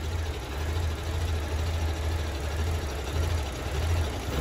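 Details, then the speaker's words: 2009 Mini Cooper 1.6 L four-cylinder with random misfires on all cylinders, smoke and black soot: idle lopes and sputters unevenly close to stalling; internal vacuum leak found. "i don't know if you guys can hear but the engine is running really rough you guys hear that sounds like it's getting ready to stall it's just sputtering really bad"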